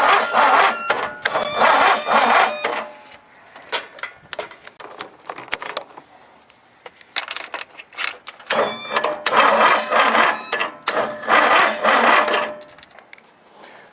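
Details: Husky that would not start, jumped with a borrowed marine battery: several two-second bursts of fast starter chatter with pauses; engine turns over but never catches.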